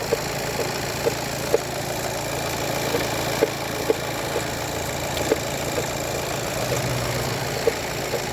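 Steady diesel idle with sharp, uneven knocks every half second to two seconds; an intermittent knock, cause unconfirmed.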